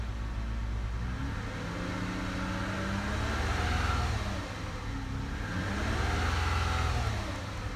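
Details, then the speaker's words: 2008 Lexus ES 350 with bad transmission, just started after sitting almost 2 years on old fuel: two gentle revs, kept low while oil circulates, pitch climbs and falls smoothly with no knocks or rattles. "Don't want to rev her up too high. Let that oil get good and circulating."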